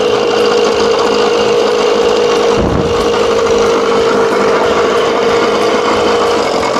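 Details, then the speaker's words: 1987 Johnson 6 hp two-stroke outboard after a smaller jet was fitted, mixture screw out 1.5 turns, timing at top dead -8: steady, even buzzing idle with a clean high note, no hunting or misses; normal idle. "Well, you can already hear the difference. That smaller jet. Yeah, she sounds good."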